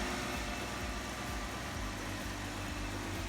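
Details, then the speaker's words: Jeep Wrangler freshly rebuilt after eight weeks, steering line replaced, idling before warm-up: steady low rumble with even firing and no knocks, ticks or squeals; idling down good, engine normal. "Idling down good, sounds like everything's good."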